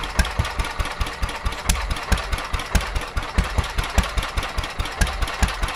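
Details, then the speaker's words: Petter A11 (A1 series 2) vintage single-cylinder stationary engine, owned 12-13 years, stored damp in a container for four years, first run after revival: lumpy, uneven thumping about two to three beats a second, misfiring and hunting; owner suspects fuel starvation from dirt in the carburetor. "No, I think we're getting fuel. Pretty sure. [Applause] Yeah, I think they're going fuel starvation. I think the carburetor's got a little bit of crap in it."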